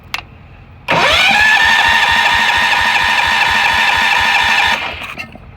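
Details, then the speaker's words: Allis Chalmers 716 hydro garden tractor in cold, snowy weather, starting fluid applied: steady starter whine with slow even compression thumps about two a second, cranks but never fires; owner suspects spark issue, NGK spark plug checked. "ah how does something not start with starting fluid like really how is this possible it's literally called starting fluid it's almost like like it's a spark issue"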